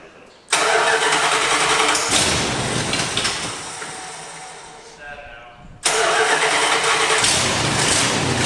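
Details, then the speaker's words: 1986 Dodge Ramcharger during rebuild: the starter spins hard for seconds without catching, pauses, then cranks again; won't fire while cranking but fires when the key is released; owner suspects the cranking higher-voltage ignition circuit isn't working. "i figured out by the way why i wouldn't start with the key if you crank it and cut it back it'll fire so it's that cranking higher voltage system is not working for some"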